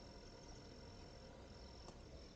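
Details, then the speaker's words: KTM Freeride E-XC electric motorcycle, key turned on, computer beeping, before starting: very faint steady high whine of the coolant water pump running once the indicator turns green, normal. "And when it's green, if I'm really quiet, you'll hear the water pump."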